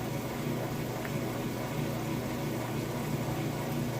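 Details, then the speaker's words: Kenmore washer, heavy jeans and towel load on ultra clean cycle, moving from rinse into spin: steady low hum with watery gurgle as water drains out fast; normal drain pump operation. "Alright, we're moving out of the rinse cycle into the spin cycle. It's once again draining that water out."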